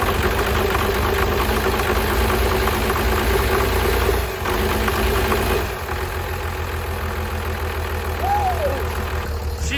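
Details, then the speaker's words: 12-valve 6BT Cummins diesel after piston replacement and a thinner head gasket, number six now getting fuel: steady diesel clatter at even idle, no misses or heavy knocks; runs well. "oh yeah smoo right out [ __ ] yeah she's running good it sounds good man I'm stoked"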